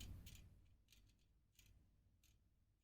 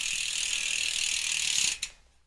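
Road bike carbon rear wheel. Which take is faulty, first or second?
first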